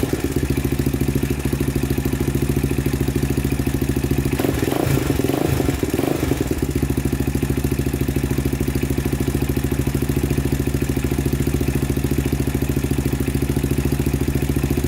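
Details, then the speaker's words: 2000 Honda 400EX with cheap eBay piston and cylinder, valves set to 0.004 in intake and 0.005 in exhaust, after cam chain tightened: steady even single-cylinder idle with only light ticking, far less rattle; normal idle. "all right that sounds a lot better not making as much noise i think just a tiny bit tighter honestly that's pretty good"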